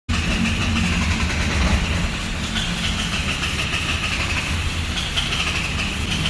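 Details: Mitsubishi Triton 4D56 diesel: steady, rough starter drone grinding on for seconds without catching; cranks but won't start because of a clogged injector.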